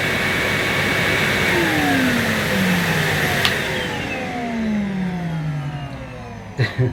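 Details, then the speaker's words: Numatic Henry vacuum motor on high power: smooth steady motor whine over even rush of air, pitch sliding down cleanly as it winds off; normal motor. "so this is what the henry pet pro sounds like still a very nice smooth running motor and here's henry"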